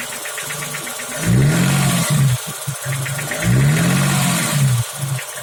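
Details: BMW E34 engine at rough idle with a deep, uneven knock from the bottom end that swells with each throttle blip; owner suspects a failed piston pin at the connecting rod, not confirmed.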